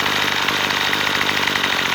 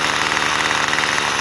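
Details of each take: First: Troy-Bilt two-stroke trimmer after carburetor adjustment, screw turned half a turn counterclockwise and idle screw set: fast, even buzz holding steady without surging or dying; normal idle. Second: Troy Bilt two-stroke weed eater after carb fix for bogging (mixture screw half a turn counterclockwise); idle screw turned clockwise raises revs: buzzy note sits steadily above normal idle; high idle from idle screw turned up.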